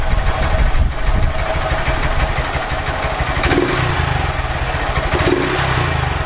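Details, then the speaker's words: Honda Grom idle just after installing a Chimera aftermarket intake; deep, steady low thump with an even beat, no misses or rattles, noticeably deeper than before; normal idle. "So, I don't know if you guys can hear it, but listen to this. It sounds so much deeper."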